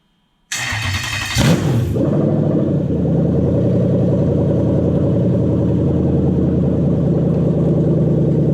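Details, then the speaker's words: Toyota 1UZ-FE VVTi V8 run on a 2UZ ECU, started after a popped-off main power supply terminal was reconnected: it catches quickly, flares, then idles steady and even with no misses. Normal start and idle. "hum yes we hear that throttle body humming and if you're working on these a lot that hum can become very very annoying"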